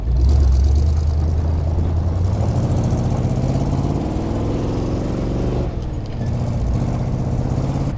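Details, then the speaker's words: 1977 Jeep CJ-7, rebuilt and back on the road after 10 years, out trail riding; a steady, deep engine note pulls smoothly through the gears under load with no miss, knock or rattle: normal engine running. "The motor is running great. It sounds good."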